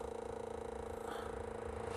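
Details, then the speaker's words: Chinese 2 kW air heater on a programmed timed start: the blower fan motor gives a humming whine with a quick flutter at startup, noisier than it should be. The motor is not yet fixed, and the owner says the noise calms down after startup. "donc je n'ai toujours pas rectifié le lui dise ce moteur donc elle fait du bruit au début après ça va se calmer"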